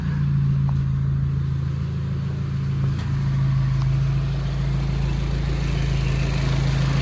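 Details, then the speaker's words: Audi TT Mk1 idling during service with fresh oil, oil filter and air filter, run briefly to circulate oil: steady, even low hum with no knocks or misses, "like a Swiss watch"; normal healthy idle. ">> Sounds good, doesn't it, Dave?"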